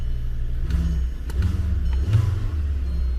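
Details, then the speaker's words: Insurance-auction car with 222,000 miles, electronic throttle warning light on, throttle blipped after starting: revs rise and fall cleanly with a smooth deep note, no knocking; engine sounds healthy. "Actually sounds good. 222,000 miles on it. Yeah, it sounds good. It's got a light for the electronic throttle."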